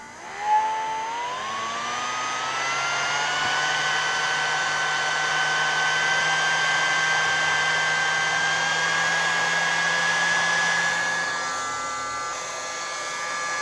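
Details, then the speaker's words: Portable hot-air soldering station (blower) being repaired after a burnt IC and modified to reduce airflow: fan motor adjusted from fastest to slowest, a smooth steady airy rush whose tone climbs with speed then holds even. Normal running. "Kalau saya buat lebih kencang ini. Tuh. Ini paling kencangnya, pelannya. Ini pelannya, paling pelan."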